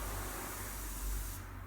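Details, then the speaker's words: Dolium disposable keg during manual filling, gas brought to just above 0 pressure and relief valve set to self-regulate: steady gas hiss from keg head cutting off sharply after about 1.5 s; normal relief valve venting. "Donc là j'ai réglé ma soupape pour qu'elle se régule toute seule et que ça se remplisse pile poil."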